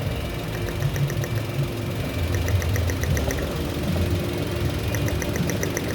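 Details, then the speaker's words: Toyota Wigo with stalling and unstable idle around 900 rpm, aircon on, no check engine light: light rapid ticking in short bursts heard at the fuel injector; the scanner pointed to the injector. "so dito sa injector kakamayin niyo lang may pumipitik pitik nian diyan malaman niyo sa injector may mag pipitik diyan kasi yung sinabi sa scanner is injector e"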